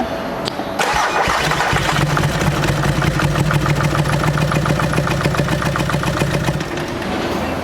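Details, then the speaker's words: VW Amarok diesel cranking after timing belt failure, heard at the air cleaner: fast, uneven beat with hollow puffing, no firing; open valve, likely bent valves, bottom end condition unknown. Bent valve, no compression. "that's an open valve she's pooched"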